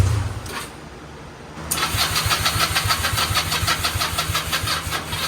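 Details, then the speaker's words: Restored go-kart small engine on first start after rewiring the clutch handle, start button and kill switch: quick, uneven, stumbling run of about three pulses a second; owner suspects it is running rich after a loud pop, carburetor to be removed. "Alright, so it started up, but it's not running too well. So what I'm going to do is take the carburetor off. I think it's running rich because it made that really loud pop when it wasn't starting."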